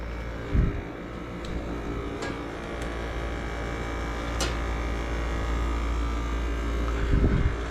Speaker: start by putting the system on on i hear the compressor started indoor fan we got air